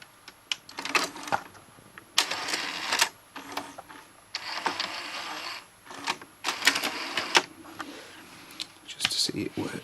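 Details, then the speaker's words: Sony HTC-NX1 CD changer after CD drive belt replacement, tested on disc slot two: short bursts of whirring and clean clicks as the tray and changer move, no grinding or slipping; working perfectly. "that sounds good that sounds really good working just perfectly there"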